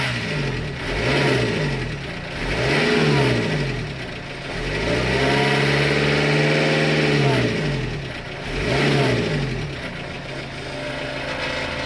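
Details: Renault Kangoo I 1.9 dCi diesel: revs rise and fall in repeated blips with a rough, uneven note as it climbs. Abnormal engine noise under acceleration, accompanied by black smoke; cause unknown.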